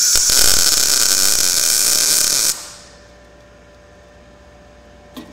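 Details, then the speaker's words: Blue Demon BLUEARC 140MSI 110V 140A MIG inverter, synergic mode, tacking after turning shielding gas on: crisp even bacon-frying sizzle about two and a half seconds, clean stable arc; gas problem solved. "it looks like the gas problem solved it sounds good we got that good nice crisp bacon sound"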